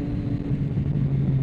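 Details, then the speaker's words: Motorcycle on day two after a home ECU remap with TuneECU and a DNK Tuneworks tune, SE Project S1 sound without baffle, ridden cold; steady smooth drone, immediate throttle, no stalling as before: normal engine running. "So still sounds good. It's got that SE Project S1 sound to it without the baffle."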